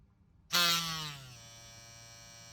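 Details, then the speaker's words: Ambition Ninja Pro tattoo machine starting up. The jump start snaps on with a loud, shrill surge that sags over most of a second before settling to a quiet buzz; the jump start is set too high and lasts too long. "здесь прикольно то что есть jump start но он дикой дикие просто прям не знаю не стоило делать такой высокий"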